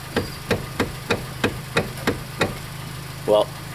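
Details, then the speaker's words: 2013 Hyundai Elantra GT electric power steering (MDPS): eight sharp clunks about every third of a second while the wheel is turned; worn steering motor rubber coupler. "Do you have a Hyundai with a harsh steering clunk? Sounds something like this?"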